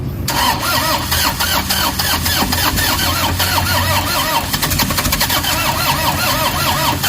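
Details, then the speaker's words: Toyota HiAce common-rail diesel with codes P0087, P0107, P0400: starter cranks in a quick regular whirr but the engine never catches; crank no start from low fuel rail pressure. "Ayaw tumuloy guys."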